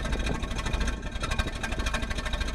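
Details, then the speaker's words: Olds 403 V8 in a G-body that won't idle: lumpy, uneven idle with irregular heavy thumps, like running on four cylinders; revs fine above 1,000 rpm but sometimes falls flat; debris contaminating the carburetor float bowl caused the misfire. "Basically, my problem is an idling and drivability problem. It won't idle. It sounds like it's running on 4 cylinders."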